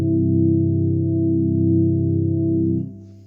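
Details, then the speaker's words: Leslie speaker of a 1970s Kimball Syntha Swinger 1000 organ (service tag 1976) on slow rotor speed: a steady held chord with an even warble of about three to four pulses a second. The rotor works, and it has only fast and slow settings. "it sounds really nice and i'm not really sure if there's any way to actually turn this off there's just fast and slow"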